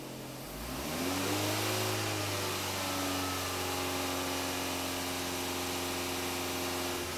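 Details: Engine with 300,000 km after replacing a defective timing belt tensioner that made noise at 2000–3000 rpm, coolant refilled: revs up smoothly and holds a steady, clean drone with no knock, rattle or whine; sounds healthy after repair.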